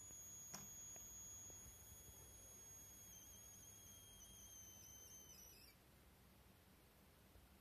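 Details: YH11087A 5A MPPT solar regulator fed by a 60 Wp panel, loaded with a 12V 55W H7 bulb: raising the output current limit brings a thin, steady whine of about 7 kHz that holds for several seconds, then cuts out. This is coil whine from the regulator.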